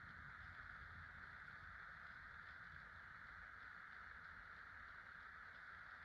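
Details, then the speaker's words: 50-inch Casablanca Delta II ceiling fan with an Emerson K55 motor, dated 1996, with four blades after new bearings: a soft, even whoosh and low hum. It runs silent and wobble-free, moving more air than with five blades; it is running normally. "This time it doesn't seem to wobble with four blades. It blows more air than it did with five blades, and is silent."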